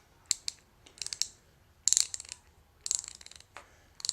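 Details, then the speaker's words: Pittsburgh Pro thumbwheel hand ratchet after lubrication, with the detent ball pushed back into place: short bursts of fine, even, quiet clicking, much smoother and less "machine gun"; smooth ratchet operation, though the ball is probably still seized. "quieter alright sounds a lot better and it's definitely a lot smoother it's not such a machine gun yeah it sounds a lot better with a little bit of Lube in it"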